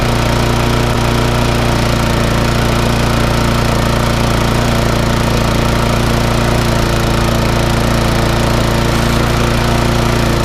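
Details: Briggs & Stratton 3.5 engine newly swapped onto a mower and serviced, holding a steady, even single-cylinder beat with no misses or knocks; running properly.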